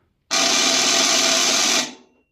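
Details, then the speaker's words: Seized compressor in a 2 HP cabinet air conditioner's outdoor unit, fed 220 V directly on original 40 µF capacitor: harsh loud rasping burst for about 1.5 s then cuts out, failing to start; 100 µF starter to be tried. "压缩机压根就启动不了啊一会咱们把这个大容量启动器安上去看看这个能不能让压缩机运转起来"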